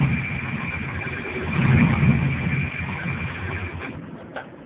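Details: 2000 WS6 V8 after long cranking with coils unplugged, cylinders possibly fuel-filled; low uneven knocking about four per second over rough running, music behind; knock cause not confirmed.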